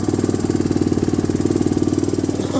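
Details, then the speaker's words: Chinese Yamaha Raptor clone single-cylinder ATV after carb cleaning, running on jump power: quick even thump that cuts out abruptly when the battery is removed. Engine dies without a battery; terminals, wiring and key switch still need fixing. "Taking the battery off and it's dying."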